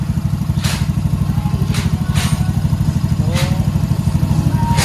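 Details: Honda Vario 110 scooter, sluggish and fuel-thirsty, after throttle body refit, mechanic suspects tampered wiring: uneven low putter at idle about three beats a second, lumpy with faint ticking; rough running, cause unclear.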